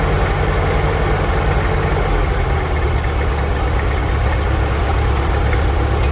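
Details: 1946 International Harvester Farmall H, in neutral after a pushrod replacement and deep cleaning, with a low battery: steady, even low thump with no misses, knocks or hunting; smooth, normal idle.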